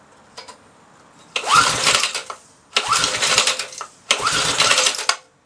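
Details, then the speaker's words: Briggs & Stratton 3.5 hp engine, probably over 10 years old, choke lever just freed: three brief sputtering bursts of about a second each on ether, dying every time; no fuel of its own, owner suspects carburettor blocked by old gas. "they runs on ether but now if yours get nothing to car B so I'll take the car be out give it a clean because it could be blocked"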